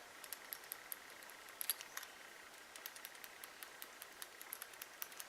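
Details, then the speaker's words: CRKT Tactical Applications flashlight head shaken: light, dry, uneven ticks and clicks, something small loose inside; the owner suspects the little chip is moving around, and the light no longer stays on when pushed fully. "hear rattling that's not good that's probably the little chip moving around in there"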